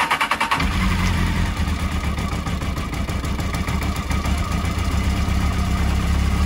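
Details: 2007 Honda CBF600 N-6 after a water pump coolant leak repair, starting with the radiator freshly topped off to bleed the cooling system: quick crank, then it catches and settles into a steady, even idle with no knocks or rattles. Normal start and idle.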